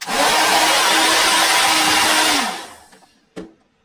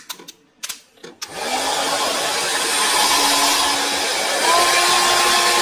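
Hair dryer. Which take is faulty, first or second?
first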